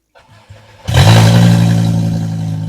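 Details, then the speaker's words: VW GTI with a swapped 07K 5-cylinder engine, microphone at the rear next to the fuel pump: it catches quickly and settles into a loud droning idle with an uneven low throb. It runs badly; cause not yet found. "um it starts and it runs but it runs horribly runs really bad does not sound good"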